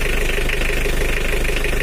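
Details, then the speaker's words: Old Mitsubishi L300 diesel, cold, idle slightly raised: even, steady clatter without the earlier limping stumble; normal smooth idle. "Suaranya udah rata ya lor, tapi nggak kayak kemarin ada pincangnya tak gitu. Tapi sekarang udah rata"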